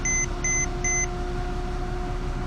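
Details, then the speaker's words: 2006 Porsche Cayman S started right after an oil change with about 8 quarts of Mobil 1 0W-40: three short high beeps about two per second over steady idle, the low oil pressure warning; owner thinks it is just from the change, unconfirmed. "oil pressure too low, I just said, but probably just changed it."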